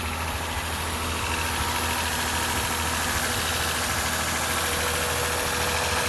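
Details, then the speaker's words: 2006 Lexus IS250 V6 just after water pump and timing chain replacement (old chain had stretched and rattled): smooth, steady first-start idle with no rattle; a slight misfire is noted, and the owner wonders whether the spark plugs need changing. "I don't hear that noise anymore I used to hear this rattling sound"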